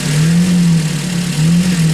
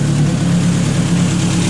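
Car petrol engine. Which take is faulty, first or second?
first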